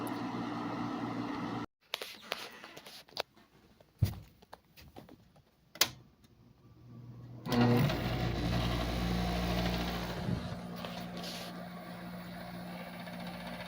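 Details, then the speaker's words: Fedders 7500 BTU window air conditioner on medium on a hot day: a few clicks, then steady, even low hum and smooth fan rush, starting to blow cold; running normally. "It's starting to get cold. This one's working real nice. Runs real smooth, too."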